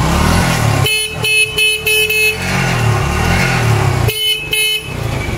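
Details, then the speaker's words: TVS Striker bike that died when the horn was sounded and would not hold battery charge, after fitting a substitute rectifier/voltage regulator: even idle while the horn blares strong and clear without a battery, headlight bright; charging fixed. "এখন কিন্তু battery ছাড়াই horn বাজতেছে এবং হেডলাইটের আলো কিন্তু clear হয়ে"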